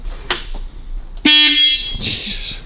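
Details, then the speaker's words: Old electric horn on a 1934 Chrysler Airflow: a short, buzzy note dying away quickly because its points are not opening and shutting enough to vibrate the metal diaphragm. "That's what your noise. That's those points going up and down. Yeah. And that's basically a metal diaphragm which makes the noise."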